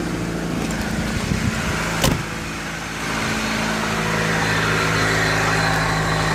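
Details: Opel Ecotec 2.0 X20XEV engine running with a light, fairly steady tapping over idle, about four per second; owner wants the cause; engine knock, cause unclear.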